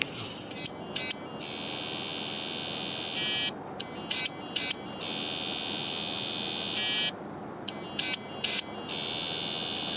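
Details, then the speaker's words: Hard disk spinning at 5400 rpm with a damaged read/write head stuck and jammed inside: the motor tries to move it, giving harsh electric buzzing bursts with sharp clicks (ticking) at each start. "அந்த clicking sound எதுனால வரும் அப்படின்னு கேட்டீங்கன்னா இந்த heading இருந்து இப்படி போகும் ஏதோ ப்ராப்ளம் இருக்குன்னு தெரிஞ்சு மறுபடியும் இப்படி வந்துரும் உள்ள போய் ஸ்ட்ரக் அப் ஆயிடுச்சு"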